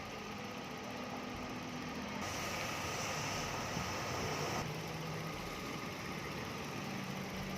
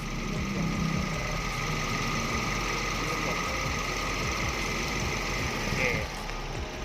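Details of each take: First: 2010 Toyota Vios, idle with AC running: faint steady howl over a quiet, even idle; the compressor howls slightly when working, treated by adding Denso oil 8 as a stopgap; AC compressor howl. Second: 2010 Toyota Vios, 26,074 km, idling after a new AC compressor clutch and Denso relay: steady, even idle with a faint constant whir, compressor engaging and cutting out properly, no slipping or chatter; normal idle with AC compressor engaged.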